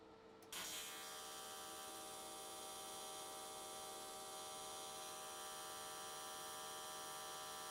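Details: AC TIG welding aluminium S13 catch cans, vertical welds, after switching to square wave: steady, even arc buzz with constant mains-like hum and crisp hiss, no sputter or wander, definitely more stable than before.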